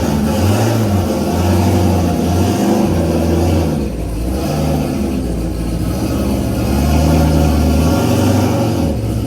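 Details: Built small-block V8 that came with newly bought race car, first run: lumpy, uneven pitter-patter under revs, chugging and smoking like a tractor; running rough, cause not pinned down.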